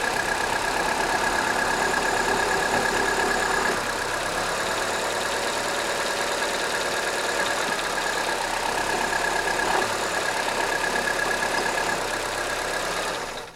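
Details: 2009 Ford Fiesta Titanium 1.4 automatic: fast light ticking about three per second at idle after cold start, lasting about five minutes then stopping; A/C off; cause unknown.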